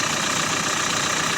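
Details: Renault Megane 4 1.5 dCi diesel idling after an experimental fix of the knocking crankshaft damper pulley: steady idle with an even rustle and no knock from the front of the engine; sounds healthy.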